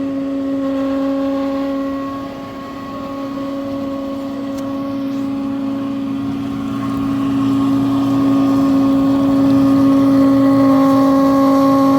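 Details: Frigidaire dishwasher in operation: loud, steady droning hum with a strong mid-low tone from a defective motor, fixed by replacing the motor.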